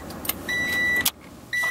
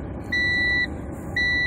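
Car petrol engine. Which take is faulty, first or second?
second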